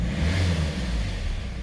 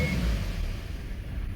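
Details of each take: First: 2015 Hyundai i30 diesel with engine cutting-out problem, long unserviced: once warm, picks up cleanly on a single blip and settles without stalling; owner suspects clogged fuel filter causes cutting out after sitting about 10 seconds. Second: 2015 Hyundai i30 diesel, unserviced long time: after a rev the low rumble sags and the engine cuts out within two seconds; owner suspects clogged fuel filter, air filter also very dirty.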